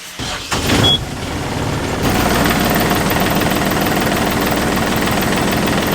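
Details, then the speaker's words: Marine inboard diesel boat engine, now firing on all cylinders, catches and settles into a steady but slightly uneven idle with low rumbling shake; idle adjustment seemed to help a little. "i'm gonna adjust the idling on this engine just to see if it goes a little bit more smoothly right after you start it up"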